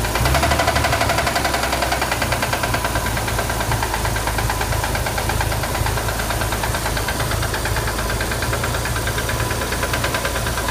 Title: Corvair engine knocking